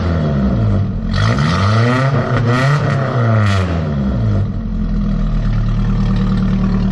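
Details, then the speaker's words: 1994 Nissan Hardbody mini truck after an engine teardown and rebuild, warmed to operating temperature: revs climb and fall smoothly several times and settle to an even idle with no knock and no leaks; bottom end sounds healthy. "Man, she sounds good, y'all. Think we saved it."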